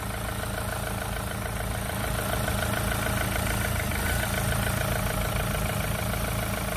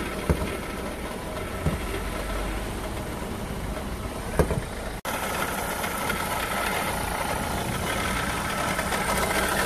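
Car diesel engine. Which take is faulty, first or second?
second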